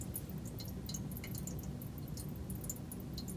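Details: Toilet with two-piece flapper split apart, which also won't flush: soft, steady trickle of water leaking from tank into bowl with no refill pause; worn, separated flapper not sealing.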